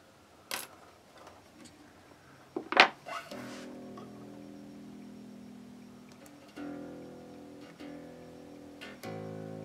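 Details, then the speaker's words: Squier electric guitar played unplugged before repair: notes carry a thin metallic buzz as open strings rattle on the first fret because a previous owner cut the nut too low; fixed by shimming the nut. "you hear that buzzing on the first fret somebody was been here before and decided to take that down"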